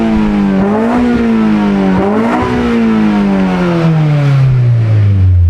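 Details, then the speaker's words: K20Z3-swapped 1996 Honda Civic hatchback, first startup on a Burton Racing ECU with some E85 in the fuel; after bleeding air from the deadheaded fuel line it runs perfectly smooth, crisp blips settling to an even idle: normal running. "bled some air out of it, and shortly after that it ran perfectly smooth. Running pretty good now."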